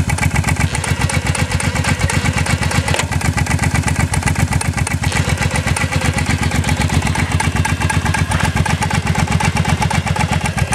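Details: Motorcycle running with a fast, fairly regular clunking clatter, about four knocks a second over the exhaust beat; cause unknown.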